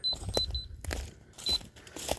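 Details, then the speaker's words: Rotating laser receiver set on a chair (no tripod) at the lowest point of a 20x24 ft floor base site; short high beeps at an uneven, slowing pace as it hunts just off grade, nearly level. "So see, you hear it beeping. When it slows down, it's close, and when it stabilizes, oh, I'm not going the right way."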